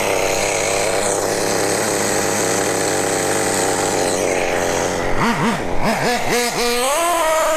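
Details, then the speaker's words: Nitro RC car (MP9) engine, not new, after richening the high-speed needle back from too lean: shrill buzz holds steady, then quick rev blips climb and fall cleanly; pulling strong, normal running. "Let's give it some more. We'll give a bit back, and I reckon then we'll be rolling. We're flying like a kite."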